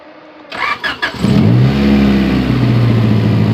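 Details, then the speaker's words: Honda Civic with H22 swap and solid engine mount, warm after driving: after throttle blips the idle stays raised and won't drop; recurring intake manifold gasket vacuum leak. "been driving it for a while and now I want to go punch it and idle would not drop it stays here"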